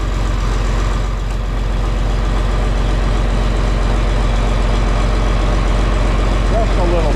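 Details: John Deere 4020 tractor just started on a battery charged overnight and left to heat up, in the shop for a hydraulic leak up front. A steady, even diesel thrum at idle with a regular low beat and no knocks or misses. A healthy idle.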